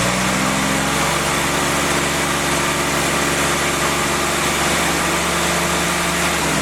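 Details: Freshly rebuilt CJ5 snowblower Jeep F-head four-cylinder at fast idle during break-in, original cam: smooth even note easing slightly up and down, no knocks or ticks; normal running.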